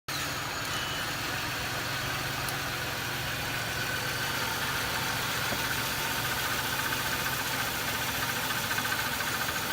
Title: Loud ticking noise